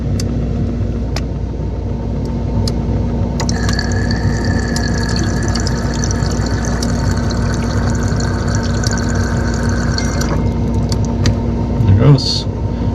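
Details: GE ice maker after replacing its faulty internal thermostat, plugged in and cycling: steady hiss and trickle of water with a valve tone for about seven seconds, then cutoff. Ice maker fill working normally.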